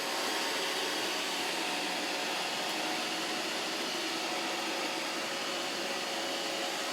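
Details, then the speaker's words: iRobot Roomba 692 random-navigation robot vacuum running on automatic during a 30-minute obstacle test. Steady high whir and airy hiss, no grinding, clicks or stalls; running normally. "so i'm gonna let this go for exactly 30 minutes come back down"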